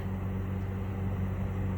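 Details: 2006 Chevy Trailblazer after replacing an alternator whose pulley had failed, battery reconnected: steady low hum with an even, smooth idle and no whine, squeal or knock; new alternator charging, normal running.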